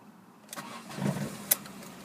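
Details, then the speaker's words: Ford Focus Zetec, manual, petrol, 116,764 miles: short crank, then the engine catches straight away and settles into a steady idle; clean first-time start, though a slight engine rattle is noted at idle. "you know, it starts first time."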